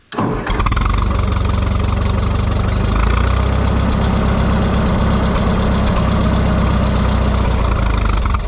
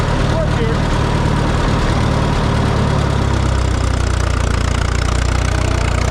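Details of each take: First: Minneapolis Moline GTB tractor brought out after sitting, started using the choke, with the carburetor load needle setting uncertain. A quick crank catches straight away, then it settles into a steady, even low idle with no misses or knocks. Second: Minneapolis Moline GTB tractor: loud uneven chugging idle that sags and drops in pitch around halfway as it dies; owner first thought a fuel issue, later found the temporary ignition coil had come unplugged; cause suspected, not confirmed.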